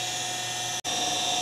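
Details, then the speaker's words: Pentair/Sta-Rite Dura-Glas pool pump: a failed shaft seal let water into the motor and ruined the bearings, giving a loud, steady high-pitched whine and hiss while running; water drips under the pump. "that's allowing water to get into the motor and it caused the bearings to go bad hence that noise that you hear"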